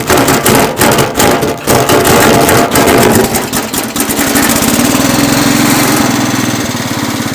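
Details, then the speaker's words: Cub Cadet 107 lawn tractor cold start on full choke after sitting, with a new fuel filter and fuel line. It cranks a few times, catches and settles into a steady, even idle with no knocks, a little smoky and stinky: a healthy cold start. "Not bad. Little stinky. Not bad though. New fuel filter and fuel line. Yeah, now it sounds good."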